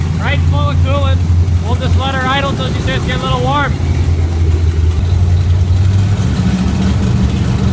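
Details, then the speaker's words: Chevy 350 small-block V8 swapped into a Suzuki Sidekick, idling while warming up, with an air bubble in the cooling system leaving no coolant in the motor: lumpy, choppy idle that stumbles and surges; rough idle, later running better. "warm uhoh trying to get a little choppy [Music] here"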